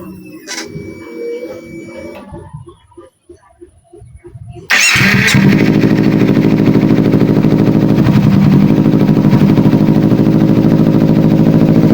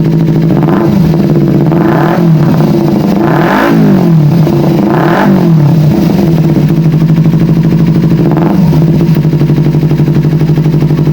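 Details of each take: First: Kawasaki Ninja 250 FI with hesitation, weak power and sluggish throttle response, after fuel pressure check and throttle body removal and refit: engine catches and settles into a fast, even, steady idle with no stumbling; normal idle. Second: Kawasaki Ninja 250 FI twin after fuel pump replaced, pressure now 40 and stable: repeated throttle blips rise slowly and fall back, hesitant and lazy; acceleration still sluggish, throttle body next to be serviced.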